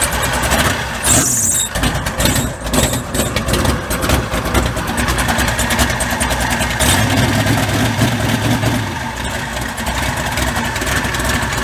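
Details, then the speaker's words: Mud bog truck started after sitting since January. The starter cranks, then the engine catches and runs lumpy and uneven with stumbling beats, misfiring on fouled spark plugs that need replacing. "Short. Spark plugs are fouled out. Like I said, it needs new ones."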